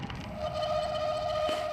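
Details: Suspected front disc brake while riding: steady high squeal with a slight warble lasting over a second.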